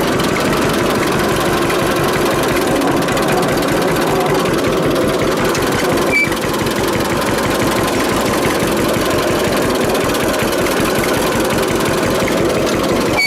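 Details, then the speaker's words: 1946 John Deere AR two-cylinder tractor after brake band cleanup and repair: steady, even low-speed popping with wind buffeting on the microphone; engine runs smoothly and healthy. "that sound nice trouble is the camera's got the wind cut on it and it really affects the sound of that a lot"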